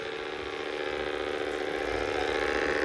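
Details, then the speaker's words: Dreame X40 Ultra robot vacuum, new, during first cleaning run: suddenly a loud steady whirring drone with fast flutter near four beats a second, slowly swelling; abnormal, cause unknown. "Oh putain, c'est pas normal que ça fasse ce bruit."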